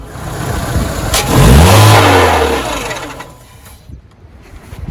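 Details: Renault with DP0/DP2/DP8 automatic gearbox: engine revved to about 3000 rpm, then shut off; a sharp metallic clunk as the engine stops, attributed to a cracked automatic-transmission flexplate knocking at shutdown.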